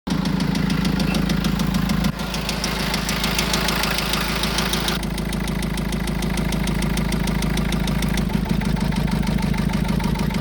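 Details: Vivaro 1.9 diesel at idle: steady idle with a sharp, regular knock of roughly three per second riding over the engine note; engine knock at idle.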